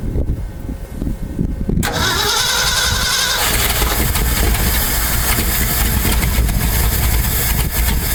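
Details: 1968 Ford F250 V8, non-running for years and possibly on old fuel; previous owner replaced the distributor, coil, plugs and wires: starter cranks, it catches and runs roughly but won't hold a steady idle. Stalling after start.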